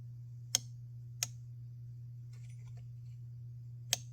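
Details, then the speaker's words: MAC 3200 two-stroke chainsaw engine turned slowly by hand with the muffler removed: crisp, isolated clicks from the anti-rollback mechanism, which prevents reverse rotation and springs into place at top dead center; normal. "not sure what that clicking noise is oh it's anti-rollback I can't spin it back the opposite direction"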